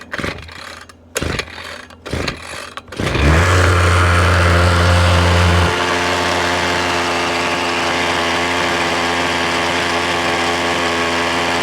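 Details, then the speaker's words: 6-year-old Ryobi two-stroke weed whip that wouldn't start, after pull-start bursts: catches and settles into a steady, even buzzing idle while smoking heavily; owner suspects carburetor, spark plug, fuel mix and a plugged gas cap. "It's idling. Well, if you know what's wrong with this thing, by the sound of it, leave me a comment with your best guess."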